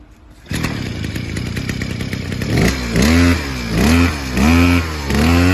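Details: Mitsubishi TU43 brush cutter, 42.7 cc two-stroke with CDI ignition and float carburettor: starts promptly, idles with a steady buzz, then revs up and drops back cleanly in even blips; runs healthy.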